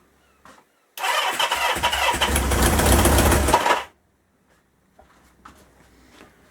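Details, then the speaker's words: 1977 Kawasaki KZ650 B1, with the carbs being adjusted and the airbox removed. The engine catches and roars for about three seconds, then cuts out abruptly, leaving faint clicks; it starts but won't keep running. "yeah as it is actually starting up i just can't seem to keep it"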